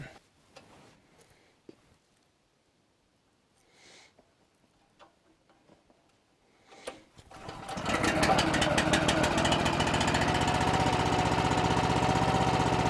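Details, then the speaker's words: Honda engine on an Eastonmade 9-16 log splitter, after the carburetor pilot jet/idle screw fix for idle surging: it starts after a few quiet seconds and settles into a low, even idle with the choke fully off, no hunting. Before, it needed choke to idle this low. "Before I couldn't let it get down even close to this low in the idle, and the choke is all the way off."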